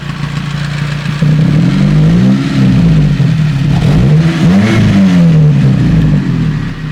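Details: Toyota 5A engine revved up and down with a light, rapid tapping over the rising and falling note; valve clearance tick.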